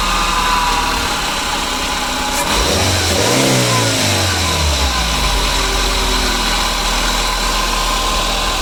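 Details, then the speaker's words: 2009 Daihatsu Grand Max at idle and a brief rev: a noisy, steady low drone under the running sound, traced to a rough idler pulley bearing on the belt drive. "Jadi suara mesinnya seperti itu teman-teman. Jadi suara daripada mesin ini dia agak berisik dan dia mendengung."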